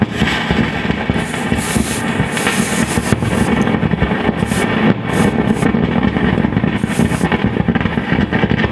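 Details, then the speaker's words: Fender Hot Rod DeVille guitar amp with a loud, nasty continuous crackle: irregular popping bursts over a hissy background. Freezer spray seems to calm it somewhat, then an integrated circuit is warmed by finger; a noisy IC is suspected. "not convinced that's calmed it down quite a lot it certainly might be let's warm up this integrated circuit with my finger they do go noisy these integrated circuits"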